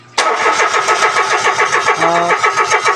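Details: Mitsubishi Mirage that died while driving, scanner showing no electrical or ECU faults: the starter cranks evenly about three to four beats a second but never catches. No fuel at the line where 50–60 psi is expected; the fuel pump failed and was replaced.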